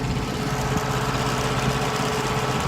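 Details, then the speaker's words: Truck bought new, now about 518,086 miles, parked: steady, even chugging of the auxiliary unit running in the background, no knocks or misses; said to burn one gallon of diesel in 10 hours versus truck idling. Normal running. "you can hear that noise in the background 18 retiring for something you don't know what that is that is essential air central 8 systems put on these trucks"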